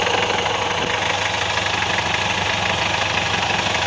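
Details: Alfa Romeo 916 GTV 2.0 Twin Spark Phase 1, under 1500 miles after a Gates timing kit with water pump and balance shaft belt: fast, fairly even knock over a harsh clatter at idle, sounding like bottom-end failure. Actually the balance shaft belt tearing apart.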